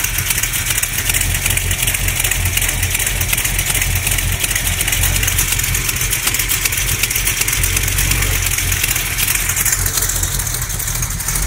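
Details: Small-block Mopar 360 V8, stock valvetrain, XE268H cam, KB107 pistons, lifters and main, cam and rod bearings already replaced: steady idle with rapid light knock at engine speed; owner says not an exhaust leak, source unknown.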